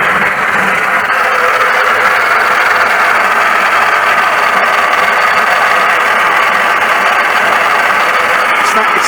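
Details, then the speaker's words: 1941 Ford pickup with a sudden worsening noise, generator reconnected: loud steady busy clatter over the running engine; owner suspects the reconditioned pump driven off the fan belt; loud mechanical racket, not confirmed. "Just from the sound of it, it sounds like it's this pump, which is a bit annoying because that was the one that was bought as a reconditioned pump."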